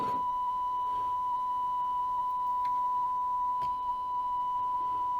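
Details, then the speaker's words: Sony TC-K415 cassette deck playing a 1 kHz test tone, reading 990 Hz and running slightly slow: slight waver in pitch, flutter from a hardened, possibly dented pinch roller that needed replacement. "a bit difficult here there we go yeah definitely it sounds like there is a dent in that pinch roller thing thing"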